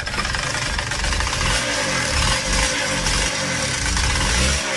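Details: Yamaha DTR125 two-stroke at a rough idle with a hollow rattling knock on each firing stroke. The piston was new three days earlier, and the carb leaks from the overflow pipe when the petrol is on. Owners suspected a valve clipping the piston; it is piston slap.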